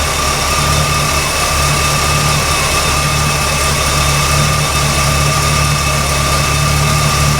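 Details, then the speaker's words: 1972 Oldsmobile 442, low mileage, apparently Oldsmobile 455 V8, idling after alternator refitted: smooth even idle with faint steady whine, no slap or squeal; generator light out, belt running correctly, charging. Normal idle. "so my generator light is out now my belt is running correctly"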